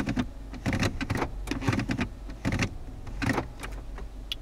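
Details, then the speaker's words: 2014 Nissan Altima automatic shifter after cleaning residue from the center console plastic piece: muffled even, firm clunks through gear positions, no ratcheting clicks; normal operation after fix. "I cleaned everything out real good and as you might expect everything works real good very smooth"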